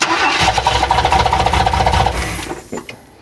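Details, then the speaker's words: 1994 Chevy Astro van, newly installed remanufactured engine, first start while ignition timing is set by turning the distributor rotor: engine cranks, catches quickly and settles into a steady running beat, run cold; engine starts and runs. "yep yep yep yep success I love success all right well I know what I need to do now I know what I need to do starts nice"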